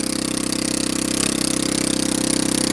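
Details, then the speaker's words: Honda Ruckus scooter on a fabricated rear frame, first test start: a fast, even, popping idle with a brief blip. Idle is set high enough to creep forward unless the brake is held; throttle stuck was briefly suspected. "You have to hold the brake because it's just enough idle that it's going to go."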